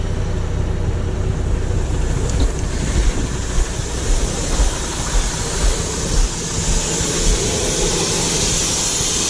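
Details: MAN truck with brake pedal held down and air pressure built up: steady airy hiss over low engine rumble from the rear brake chamber leaking heavily under braking, later replaced; brake chamber air leak.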